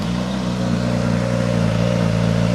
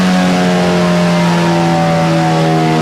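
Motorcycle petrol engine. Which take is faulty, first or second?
second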